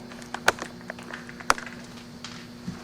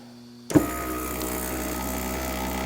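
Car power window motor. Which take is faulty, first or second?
first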